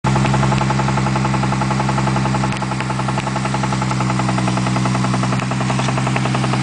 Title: spun bearing??